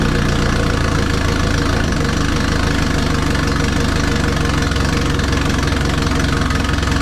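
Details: Twin-turbo Subaru Forester with compound turbo system, logged idle and rev before teardown; rough loud idle with a fast ticking puff over the engine note; exhaust leaks found.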